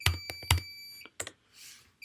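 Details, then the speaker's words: Fire-Lite/Notifier fire alarm control panel in manual evacuation triggered via PS-Tools, one horn circuit disconnected: a steady high-pitched internal panel beeper under keyboard clicks. "so here's our manual evac and so this is we could also you can hear the panel beeping"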